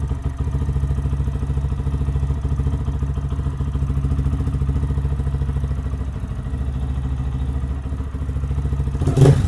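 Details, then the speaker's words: 2023 Lifan KPM 200cc single-cylinder motorcycle after a valve clearance adjustment and timing check, with the fuel line refilled: even, steady thrum at constant speed, no ticking or clatter, no fuel or oil leaks. Normal running. "Sounds good. No leaks, no fuel leaks, no oil leaks."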